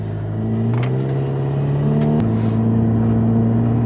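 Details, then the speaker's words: Subaru Forester on a road test after brake work: only a smooth engine note rising and settling with road rumble and no scraping or grinding while slowing, quiet brakes where they had scraped and ground before. "oh yeah nice and quiet oh it was so bad before before it was like scraping and grinding on everything no this is pretty good"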